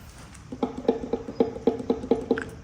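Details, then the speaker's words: 1973 Suzuki TS250 Savage two-stroke, barn find after 25 years sitting, horn test: only faint short buzzes, about eight in two seconds, instead of a steady blare; horn trying but not working, suspected old and worn out. "Uh, it doesn't work. But you can hear it trying to work. That horn must be old and just worn out."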